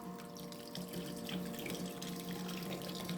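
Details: Small battery-powered pump in a homemade portable workshop wash tank, switched on by a toggle switch: a steady low hum with liquid splashing and trickling. It is circulating normally.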